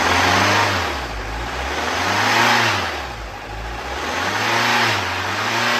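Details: Mercedes-Benz E250 engine revved up and down, with a rough, hunting note and knocking under the revs. A seized piston is suspected, so the engine is being pulled.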